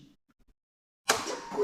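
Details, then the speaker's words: 2016 Suzuki GSX-R600 that had a strange noise from the right side and FI error code, after replacing the exhaust valve servomotor: key-on brings a smooth steady whir without rattle; normal ignition-on sound. "de corriente y ya no tiene ese ruido fastidioso"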